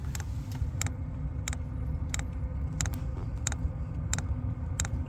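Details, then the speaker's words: Hcalory diesel heater during startup before ignition. Sharp, even clicks about once every two-thirds of a second over a low hum as the fuel pump pulses fuel through the line. Normal fuel pump ticking. "oh fuel pump started see if you can hear"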